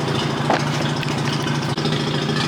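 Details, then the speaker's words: First cold start of a BMW after sitting in a damp garage a few days, Mazda RX-8 also running nearby: steady, even, smooth low idle, no knocks, misses or rattles; owner attributes exhaust moisture to sitting. "If you have a car and it sits in the garage for a few days, it'll have moisture in the exhaust."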